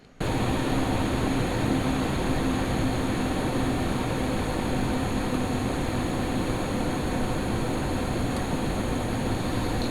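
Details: Lian-Li O11D Mini PC case with XPG Vento Gentle Typhoon fans under load, after the duct-tape mod on the top panel slits, microphone unmoved: steady even air rush with faint low hum, no howl; normal running.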